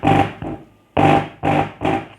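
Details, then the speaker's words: Polytron active speaker whose switching power supply was replaced with a conventional transformer (25 V), probe at the speaker connector: loud buzzing hum bursts each time the input is touched, silence between; amplifier passes signal and works normally. "kita sentuh inputnya Nah itu ya lihat tuh kencang ya teman-teman ya bunyinya kencang tuh"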